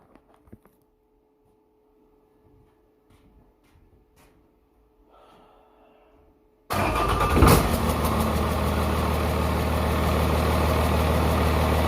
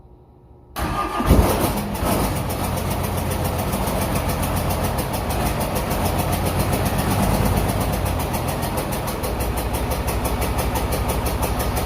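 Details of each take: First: 1994 Dodge 250 12-valve Cummins diesel with P-pump, high mileage, rear main seal leak, injection lines bled; after a basic valve set (intakes 10 thou, exhausts 20) it catches and settles into a steady, even idle with regular clatter, no miss or knock: normal idle. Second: 1994 Dodge 250 12-valve Cummins with P-pump, first test run after reassembly: fires after short crank into loud, clattery idle with uneven ticking; air in injector lines, valve lash sounds very bad, valves to be reset.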